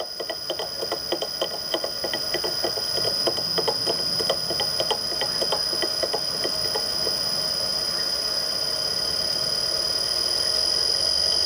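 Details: Millport/Bridgeport mill motor with rusted, worn bearings (6206Z bottom, 6205-2RS top): high steady whine with fast rattly ticking about three a second.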